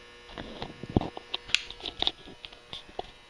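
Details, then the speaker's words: Hubbell 400 W metal halide lamp starting up: faint, steady electrical buzz under a few light clicks as the lamp warms and brightens; normal magnetic ballast transformer hum. "that sound the buzzing sound you hear is the ballast resistance to Transformer buzzing away"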